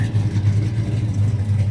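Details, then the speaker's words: 1972 Chevelle convertible, stock 502 V8 rated 440 hp, Flowmaster exhaust, Sniper fuel injection possibly still self-learning and running a little rich: deep, even rumble swelling with throttle, no knocks or rattles; healthy. "But like I said, this is just a stock 502, 440 horse. But she sounds good through the Flowmasters."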